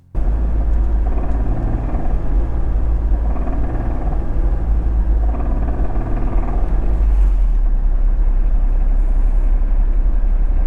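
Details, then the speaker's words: First-generation Acura NSX with 314,000 miles, heard after the first day of a track event. A heavy low engine rumble with a deep buried knock suggested rod knock, which was later confirmed. "But at the end of the first day of the track event, the black car came back into the pits and presented us a noise that sounded suspiciously like rod knock."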